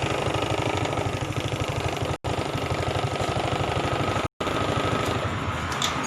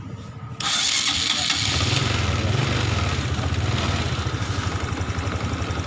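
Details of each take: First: Honda Supra X 125 fuel-injected single-cylinder that was hard to start and wouldn't idle; after raising the fuel pump pressure, it starts and idles on its own with a steady, even putter, no misses or hunting. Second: Honda Supra X 125 fuel-injected motorcycle, hard to start on the electric starter and won't hold idle; cranks briefly, then catches into a fast steady idle, starting only with fuel pressure raised to 58 (fails at the normal 42); TPS already checked and throttle body cleaned.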